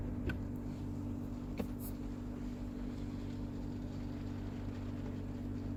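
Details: Toyota Mark X GRX130 at idle: steady low drone with a faint higher hum, an abnormal air-conditioning noise of unclear cause.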